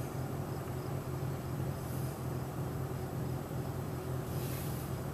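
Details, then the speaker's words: Overheating engine diagnosed by checking coolant, thermostat and fan circuit; after the fuse was put in, the radiator cooling fan now runs, whooshing evenly over a steady idle as the temperature gauge starts to drop. "there's our fan running and cooling that engine down"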